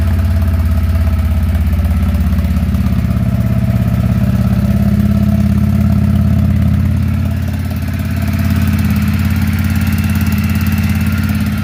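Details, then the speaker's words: Motorcycle on choke at first start after a new clutch install and fresh oil, idling with a light, fairly regular tapping from the top end; cause unknown, and a small exhaust leak was also found. "Question, you hear that tapping up there? Is that normal for your bike?"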